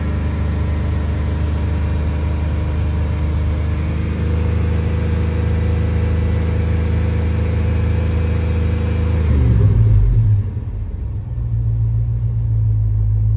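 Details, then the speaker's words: Chevrolet Tahoe at idle, oil pressure tester reading just under 60 psi versus 45 on the dash gauge: steady smooth deep hum, no knocks or ticks, then a short dip as the engine shuts off; normal idle. "so this is reading just under 60 at idle the gauge is reading 45."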